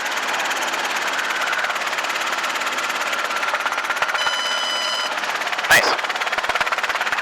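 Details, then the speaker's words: Robinson R22 helicopter in flight during an annual flight review, instructor simulating low rotor RPM for recognition and recovery: steady rotor and engine drone whose pitch sags lower as the rotor slows, with noticeable yaw. "So you felt that yaw was pretty noticeable. Can hear the rotor pitch change."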